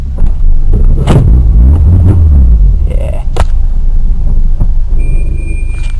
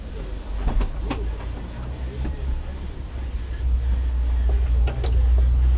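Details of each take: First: 1.1 Peugeot 106 after head gasket replacement, misfire blamed on water on a plug, after revving to about 5,000 rpm: clean rev falling back to a steady, even idle with no stumbling; smooth running, earlier lumpy idle gone. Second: Peugeot 106 1.1 first start after head gasket replacement, downpipe bolts left loose: lumpy, uneven idle with irregular stumbles and missed beats under a low rumble; one cylinder misfiring.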